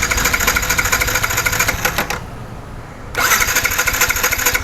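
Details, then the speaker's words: Yamaha R15 V4 with misfiring and starting complaint, new ignition coil fitted: starter churns at steady beat, pauses, cranks again without firing; no spark even with new coil. "അല്പം പോലും current വരുന്നില്ല പഴയ coil ആയിരുന്നെങ്കിൽ പിന്നെയും കുറച്ചുകൂടെ ഒരു വ്യത്യാസം ഉണ്ടായിരുന്നു."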